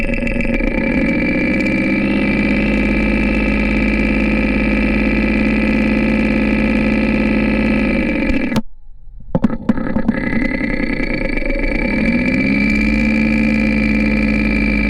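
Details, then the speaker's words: Porsche 944 at idle, recorded close to the camshaft housing: fast, light lifter clatter that has grown over a couple hundred miles, with lifter number two ticking louder. Owner suspects a partially clogged lifter, noting oil sludge found earlier, and plans a cleaning treatment. "after listening to various spots across the camshaft housing it sounds like lifter number two is clocking a bit more than the others"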